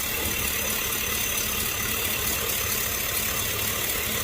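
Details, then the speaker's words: 2005 Chevy Tahoe after fixing a vacuum leak; it had been shaking when driving, with a flashing check engine light. Now the petrol engine idles steadily with an even, smooth hum, no hiss or shaking; normal idle. "we're not getting no more shaking of the engine the whole engine was shaking so problem fixed"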